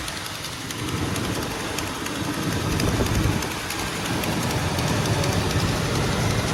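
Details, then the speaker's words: 1938 Chevy with a likely stock 350 V8 and no big cam, idling rough with a sharp raspy tick about four times a second; massive exhaust leak at a badly bent header despite a brand-new gasket. "All right, so we've got it running, but we've got a massive exhaust leak right there. That header's bent to crap."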